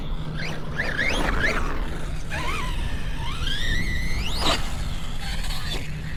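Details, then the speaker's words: Redcat Valkyrie RC car newly fitted with a Hobbywing 6S ESC and motor combo: high, harsh, uneven whine rising and falling with throttle. Owner suspects the gear mesh tightening up, or the motor needing break-in. "Oh, I say that now. Yeah, it just doesn't sound right."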